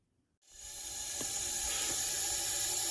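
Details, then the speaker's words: 2001 24-valve Cummins diesel pickup, leak-down test after a cold night: steady loud hiss building out of the intake; the cylinder leaks about 70% past the intake valve from a dropped valve seat, though it still makes about 140 psi compression. "And it's leaking like 70%, and you can hear it coming right out of that intake."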